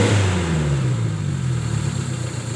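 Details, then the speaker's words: Colt T120SS whose rpm stayed high, after replacing the worn throttle-body valve (skep) and refitting the throttle body: brief rev settling to an even, stable idle with no hunting; idle now normal. "Coba dihidupkan seperti ini sobat ya Jadi sekarang rpm nya sudah stabil"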